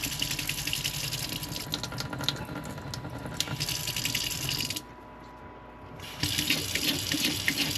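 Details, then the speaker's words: RV water pump running off the fresh-water holding tank, before installing a pressure-sensing pump controller: faucet stream pulsates, surges and splutters, drops out about a second then rushes back, splattering water as the pump cycles on and off. "So, show you guys this water pump before. See how it kind of pulsates there? That's"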